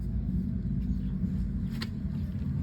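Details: Rear axle differential: steady low droning whine and growl from worn ring and pinion gears, with the differential starting to wear.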